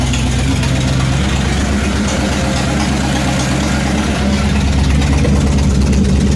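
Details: 1966 Ford Mustang at cold start after brake and tank work: loud, steady idle with a harsh, raw exhaust bark and puffing pulses; exhaust appears broken off, running straight off the header, leaking at the header.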